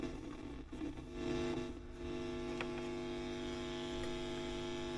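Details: WEM Musette Mk 2 valve amp (a Dominator Mk 3 with a different speaker) on the bench before servicing, with nothing playing. A loud, constant low hum with buzzy overtones never changes level, a very noisy channel whose cause is not yet traced.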